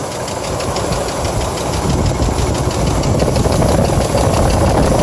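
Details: 1997 GMC Jimmy petrol engine idling with loose, uneven knock over heavy low rumble; noise began after driving through a puddle in a rainstorm and persists days later; cause unknown.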